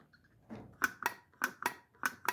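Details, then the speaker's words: Kenmore/Roper/Whirlpool/Amana washer that was overfilling, pressure switch removed and tested by blowing into it: a soft puff, then three pairs of crisp little ticks as the switch snaps over and back, so it works. "you hear that little ticky ticking if you don't hear that then that means there's a something stuck in there and that's when you gotta replace it but you hear this that means this one is good"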